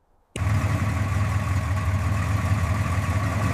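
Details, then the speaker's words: Abandoned Chevy C10 pickup V8 in the Mojave Desert, sitting over 20 years, first start after carb cleaner and spark plug check, a little throttle given: deep steady even burble at idle, no misses or knocks; sounds healthy. "I honestly cannot believe it. The engine sounds incredibly healthy."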